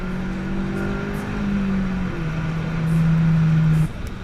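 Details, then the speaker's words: CSX Type S with new Hasport stiff rear engine mount and Tein coilovers, driving: idle normal, slight vibration at lower rpm, heavy vibration at higher rpm; steady engine drone dropping with revs plus low cabin buzz from the stiff mount. "around those higher rpms it does vibrate a lot and yeah it has a variant you can almost like hear the vibrations it's a really weird really weird feeling and sound"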